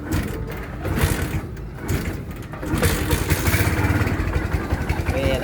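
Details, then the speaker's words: Kawasaki Barako 1 after repair of a connecting rod noise that began when hard-ridden on an emergency ride: cranks and catches, then settles to a smooth even single-cylinder thump with no knock; back to its normal sound. "Balik na siya uli sa dati niyang tunog na okay na siya."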